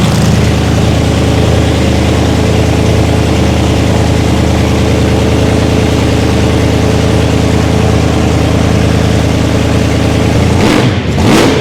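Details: First start of a race-car V8 after fuel pressure and leak checks: deep, steady burble holding even idle about ten seconds, no misses or ticks, brief blip; healthy normal idle.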